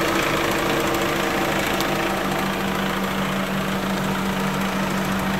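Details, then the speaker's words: 1996 Honda Accord at idle after harmonic balancer replacement, hot weather: steady hum with light regular ticking about three per second from the accessory area when AC is switched on; owner suspects a bad AC compressor bearing, ongoing for a couple of years. "I think I have a bad bearing on the AC compressor because as soon as I turn it on hang on a second you're gonna hear you hear that clicking down there"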